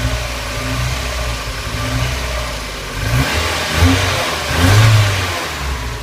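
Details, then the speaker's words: Mazda Miata, cold engine at idle: even idle, then two quick throttle blips that rise cleanly and settle without stumble, no tappet noise; healthy throttle response. "a nice sound to it runs really really well"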